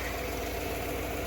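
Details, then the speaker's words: 1996 Ford 5.0 V8 in the Bronco, test run in the shop with no oil leaks, damaged front pulley, crank seems undamaged: steady, even idle with a smooth low rumble and no knocks or misses; normal idle. "Motor runs pretty good. Now we got it running."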